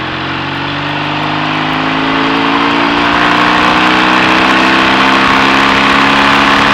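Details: BSA A65 Thunderbolt on test ride after closing spark plug gaps to cure Boyer ignition misfire under load (new plugs, caps, battery; clean carb): pulls evenly as revs climb, no stumbles or popping; normal running under load.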